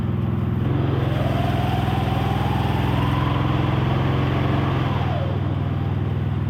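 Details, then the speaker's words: TugBuggy utility buggy with newly installed single-cylinder engine, noticeably more torque and no longer bogging on hills: runs smooth and even, picking up revs cleanly without stumbling or bogging; normal healthy running. "New engine is also nice. The increased torque is definitely noticeable."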